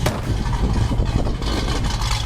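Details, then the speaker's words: 1966 Ford Mustang with a built, restored 302 V8 and locked 3.55 rear gears: deep, loud rumbling with a choppy low exhaust beat right after startup, running strong and even. Healthy engine. "the exhaust sounds unreal let me start it for you real quick"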